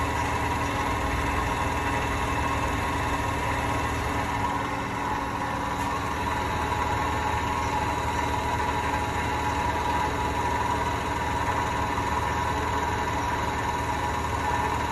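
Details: Hotpoint washing machine drum makes a steady low roar with a droning hum; worn drum bearings suspected, not confirmed.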